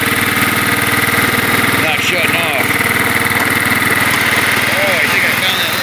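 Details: Kohler Command 12.5 OHV riding-mower engine whose warm-stalling problem was traced to the ignition coil; after the coil work it runs steady and even at a fast idle with no misses or knocks. Normal running.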